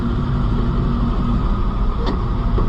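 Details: White 4-180 tractor diesel running after a rear transmission lube pump repair; the transmission light is out, but there is air in the hydraulics. Deep, steady clatter holding an even beat with no knocks or misses; the engine is healthy.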